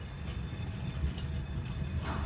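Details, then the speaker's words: Bus jacked up and wheel spun by hand to test the bearings, on a bus already known to have a bad kingpin: coarse, uneven gravelly rumble, likened to a boat going up a gravel road, instead of a smooth whirr; worn wheel bearing. "No, it sounds like a boat going up a gravel road. My gosh."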